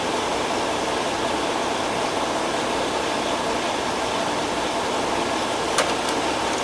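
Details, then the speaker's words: Peterbilt truck with AC not working due to a burned HVAC control module and wiring: after the repair, a steady, even rush of air from the vents with no rattle or whine; the blower runs smoothly and blows cool air. "yeah so now we got some cool air coming out of there"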